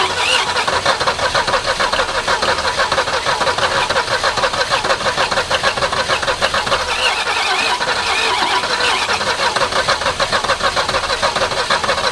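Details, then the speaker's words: 1961 Ford Falcon abandoned 15 years, gear oil put in the cylinders for compression: ragged uneven firing with stumbles, barely running and smoky; owner suspects something unhappy, maybe flex plate or transmission; rough running. "[Music] [Music] hot dog does that count as running that's a little smoky let's try it again all right kick it that didn't sound good did we blow it up already"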